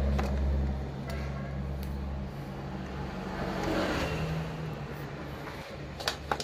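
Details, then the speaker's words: Isuzu jeep starter after repair (it had only spun without engaging, because of a broken fork): clean, steady motor hum spinning up for a couple of seconds, then winding down; it now engages normally. "Oh yun sumisipa na tigan niyo Di ba"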